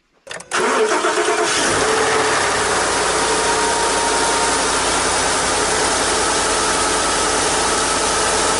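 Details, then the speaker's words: Ford F-150 5.0 V8 Coyote cold start after 24 hours at about 40–50°F: catches quickly, smooth even idle with only faint normal injector tick, no lifter rattle. "as you can see no issues you know our engine is running normal there is some ticking noise slight ticking noise from injectors is normal but not like a typewriter or anything like that"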